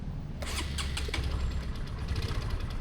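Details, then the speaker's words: Honda Supra X 125 Helm-in at 100,000 km, started right after an oil change to Shell oil; starter catches quickly and settles into a smooth, steady low idle. Slight remaining rattle is attributed to the piston itself. "Wuih. Langsung halus. Kok masih ada geredek dikit, itu memang dari si sehernya sendiri."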